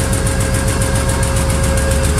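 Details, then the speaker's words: 1986 Lesharo RV with V6 conversion, stale engine on first road test: cold idle low and lumpy with an uneven, stumbling beat; exhaust smells rich, owner suspects an ignition issue, mechanically seems okay, not yet diagnosed; rough idle. "so it sounds like an ignition issue at high rpm it's not clunking nothing sounds loose no valve issues you know it it sounds like mechanically it's okay"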